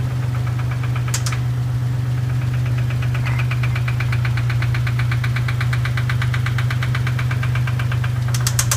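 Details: Dodge Stealth at idle: sharp, regular ticking about three times a second over a steady drone with a heavier knock underneath; bent valve tick and engine knock, with smoking and very high oil pressure noted.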